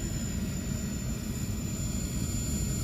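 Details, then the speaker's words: Trane furnace inducer motor running very cold: steady fan rush with a thin, high whine; faint bearing noise, which the technician hopes is from the cold and will fade as the motor warms. "it is making a little bit of noise coming from the bearing which is kind of alarming i'm chalking it up right now to it's very very cold i'm just waiting to see if that motor warms up and our bearing noise goes away but i don't really like that noise it's not comforting"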